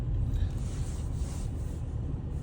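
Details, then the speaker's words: BMW 530d diesel driving after DIY replacement of a perished prop shaft centre bearing: steady low road rumble, no knock, drone or whine from the transmission tunnel; normal driveline noise. "hey guys managed to fix the problem uh that was only uh the issue with the uh Center bearing uh Center bearing of you might seen in the previous shots"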